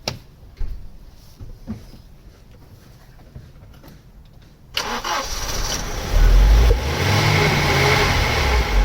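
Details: Opel Omega A GLS 2.4i CIH estate, parked in a barn since 2003, restarted with fresh petrol added: after a few quiet seconds it catches and revs smoothly, even and free of tapping or knocking; running healthy.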